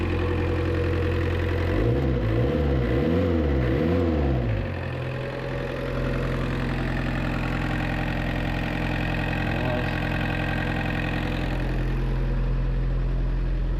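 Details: 1986 Suzuki Samurai with 1.6 VW turbo diesel, after replacing the seven-year-old battery with a larger one, charging almost 14 volts: steady low clatter at idle with an even beat and brief early wavering tone, then settles healthy; normal diesel idle.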